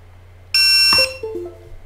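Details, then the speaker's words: Hubsan Zino HT016B controller plugged in by USB for jumper firmware update: one clean two-tone chime, no repeats; connected normally. "okay It beeped sounds like we're okay"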